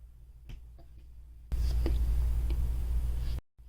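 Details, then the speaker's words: Nylavee soundbar speaker plugged into a MacBook: a loud low buzz and popping cut in as the plug goes in. The same happens on another computer; an unstable connection or defective unit is suspected. "While plugging the speaker, you could hear that weird clip sound already, and that happens if I try to rotate this. All I'm doing is just simply tapping this lightly. I'm assuming that something is wrong with the connection. It's not stable."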